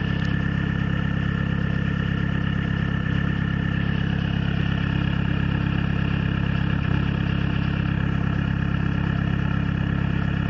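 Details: Peugeot/Citroën XUD diesel idling cold with an uneven, lumpy misfire that stops once up to temperature; cause a faulty glow plug and weak battery, fixed by replacing the battery.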